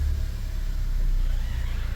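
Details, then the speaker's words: VW Golf V Plus 1.4 TSI turbo, rebuilt after slipped timing chain bent valves, first start after two years: low even rumble at idle with no knocks, ticks or hunting; slight shake, possibly a loose engine mount. "we have a normal idle no freaking way we have a normal idle yes"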